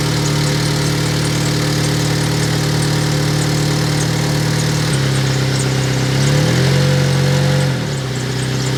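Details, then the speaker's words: 2003 Honda Element petrol engine idling with a faint, quick ticking puff over the hum; suspected exhaust leak, possibly at a gasket, not confirmed. "so hopefully when I start it up and and I ran it you guys could hear that exhaust leak"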